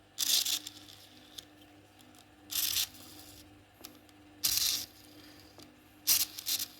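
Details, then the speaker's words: Tamiya Mini 4WD Super-1 chassis with non-original (KW) gearbox, purple gear meshing blue gear: four short harsh gritty buzzing bursts; rough gear mesh, suspected gear set or aftermarket gearbox. "kurang enak guys Nah ini kan permasalahannya antara di gear kalau nggak di gearbox apalagi kalau udah setting karena ini gearbox-nya KW bukan original"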